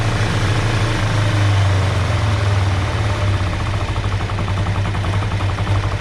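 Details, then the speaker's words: 2005 Kawasaki Ninja 500R, sat 10 years, first startup after carb work, no choke: a fast, steady idle that stays high after a throttle blip. The idle bounces and hangs; owner suspects an air leak and a hanging throttle. "Still got kind of a high idle, so we'll keep dropping that out. So though it's idling really good, the idle keeps bouncing, which tells me we have an air leak because we have a hanging throttle."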